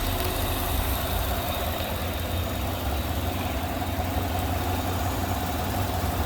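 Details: Idle after the noisy vacuum pump, which sounded like bad lifters, was removed, holes plugged and brake booster teed into the intake; smooth even low idle, constant rumble, no ticking or tapping; normal idle after repair.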